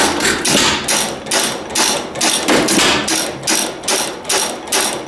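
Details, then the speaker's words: Old antique stationary engine, started after sitting a while, primed: sharp, even pops about two per second with airy exhaust between beats; normal running. "Nice. Got one running anyways. That makes me happy."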